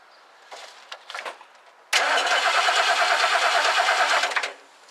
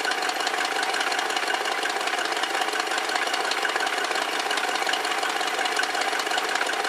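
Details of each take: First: 1969 Lincoln Mark III during a major tune-up, after a new coil is fitted; points are suspected, though a connection is later found loose. The starter cranks steadily for about two and a half seconds with no firing: crank, no start, no spark. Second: 1969 Lincoln Mark III V8 running cold after a tune-up and new coil, with timing at 10 degrees and about 700 rpm idle on the tach, a hair fast. An even, steady idle firing on all eight, with no misses or knocks.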